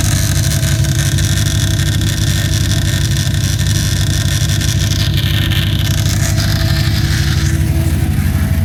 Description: The chain of fittings that contains the pressure relief valve, ethanol sensor adapter and check valve generates this click sound when fuel is flowing through it.